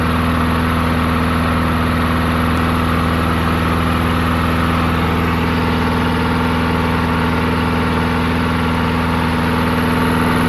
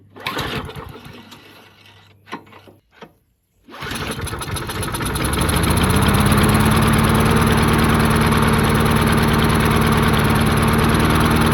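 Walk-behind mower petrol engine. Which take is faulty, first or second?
second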